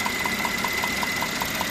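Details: Mercedes-Benz E400 with M276 3.0 biturbo, 333 hp, idling; sharp, light, evenly spaced ticks about five per second that sound like a knock; caused by leaking spark plugs showing blow-by residue on two plugs, not a mechanical fault.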